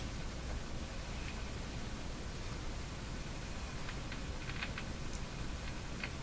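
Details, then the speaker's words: Silvertone 101-583-2 multiband tube radio running at reduced supply voltage during overheating speaker field coil work: steady hiss with scattered sharp crackles and pops, like a slow-starting motor; owner calls it daily morning interference, cause unknown. "that doesn't sound good what's that staticy sound like crackling okay now that's interference here it comes every day"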